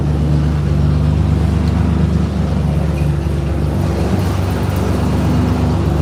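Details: 4.3 V6 truck at steady idle with exhaust taken off: deep, loud, raw unmuffled rumble; with exhaust on it ran quiet as a sewing machine; alternator belt noted too loose.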